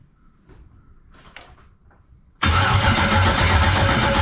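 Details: 1999 Firebird with an LS LM4 swap, first start attempt on a makeshift fuel system with wiring unfinished: steady cranking at about four turns a second, never fires. Cranks but won't start; no fuel pressure.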